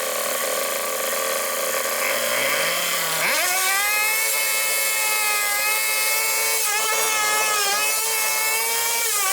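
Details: 2020 Hangkai 6.0 two-stroke outboard, two seasons of use, was sneezing into carburetor with no power; after replacing broken reed petal and defective seal, test run on remote tank: fires up, steady high buzz, slight rev dips; normal running.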